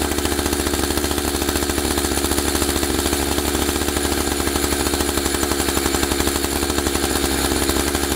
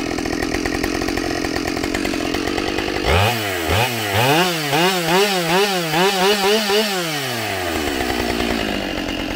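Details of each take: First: Husqvarna 572XP AutoTune two-stroke chainsaw; idle speed deliberately raised until the clutch carries the chain around; fast, even buzz with steady pulsing, no drop to idle; idle set too high, clutch engaging. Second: Husqvarna 572XP autotune chainsaw after the autotune procedure, at full throttle in a cut: it pulls strongly, with rhythmic pitch dips under load and instant recovery. It is healthy and feels more responsive.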